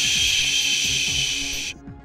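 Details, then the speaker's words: Compressed air system leak heard via SDT ultrasonic leak detector: loud steady high-pitched hiss with a characteristic whistling tone from air turbulence, cutting off abruptly. "lekker veroorzaken lucht turbulentie met een kenmerkende fluittoon"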